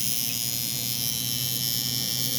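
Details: Cheap coil tattoo machine tuned for lining, 13.27 g armature bar, around 119 CPS, 48% duty at 7.4 volts; steady even high buzz with no stutter or rattle, running smoothly.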